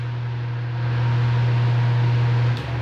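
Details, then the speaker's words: Electric fan after replacing its faulty capacitor, previously noisy at speeds 1 and 2: a smooth, steady low hum at top speed with even airflow hiss and no rattle or buzz; it now runs normally. "e o barulho saiu com a troca do capacitor o aparelho Está super sensível"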